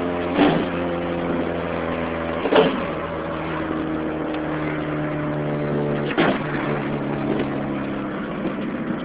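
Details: 2006 Chevy Cobalt SS supercharged, modified: steady engine drone with a raspy puffing edge and a few sharp clunks from an exhaust leak at the slightly open header/downpipe area.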